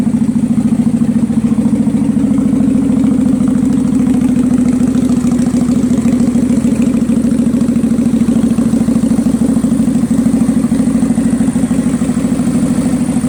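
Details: 2003 Kawasaki Vulcan 800 Classic V-twin, cold start with choke fully out, after oil change and Seafoam in the gas: uneven idle with sharp pops back through the carburetor slapping the air filter; idle misfire with intake backfire, cause suspected.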